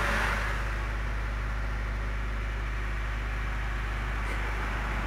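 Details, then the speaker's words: 2008 Honda Fit 1.5 after a fuel filter replacement, fully reassembled: steady, even low hum at idle with no knocks, misses or rises in pitch, fuel gauge reading; normal idle. "show de bola pegando tudo certinho galera combustível marcando ó"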